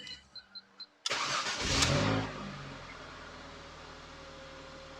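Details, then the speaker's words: Ford Mondeo Mk3 ST220 just after an oil and filter change: chimes, a short crank, a brief rev, then a smooth, steady idle with no knocks. The oil light goes out and there are no problems underneath. "so let me just start it up all right so we just want to watch for that oil light to go out"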